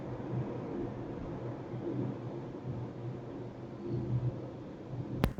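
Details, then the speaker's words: 2017 Honda CR-V Turbo cruising at speed: a constant low tire drone and rumble in the cabin, with no knocks or whine. The road noise is excessive and louder still on concrete toll roads. "Itu ya teman-teman kira-kira suara road noise-nya. Kalau di jalan beton seperti di tol lebih bunyi lagi ya, lebih masuk bunyinya, ampun ya."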